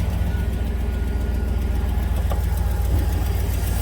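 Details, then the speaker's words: Chevy Silverado 6.0 V8 idling, suspected rich running with the purge solenoid being checked: dull, uneven puffing tick over the deep rumble from earlier-found exhaust leaks. "and there you can hear the exhaust leaks from before"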